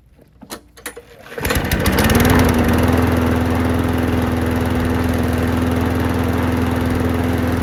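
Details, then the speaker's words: Craftsman mower that would not start after hitting something, refuelled with fresh gas: a few quiet pulls, then it catches and settles into a steady, even run with no misses or knocks; runs good. "Runs good."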